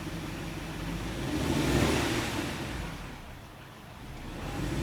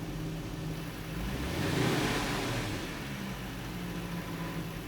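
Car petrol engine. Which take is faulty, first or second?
first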